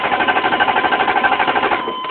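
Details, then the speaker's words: 1995 6.5 diesel, about 20 seconds after starting, once the smoke cleared: fast clatter of about seven beats a second abruptly softens to a quiet even hum, as if the timing shifted; owner suspects a faulty crank sensor or optical sensor. Sudden quiet running. "by itself you know it the engine got insanely Quiet Sounds like it lost its"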